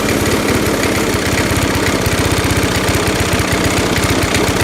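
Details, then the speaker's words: Lawn mower with a primer and a carburetor mounted on the fuel tank (the tank/carb combo is from a newer motor) runs rough and uneven, chugging and surging; a cracked rubber elbow is suspected of causing the loping. "Okay, this lawnmower is running like crap."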